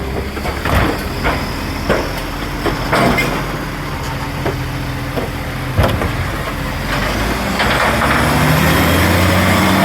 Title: Marion Recycle - SL01550 Exhaust Leak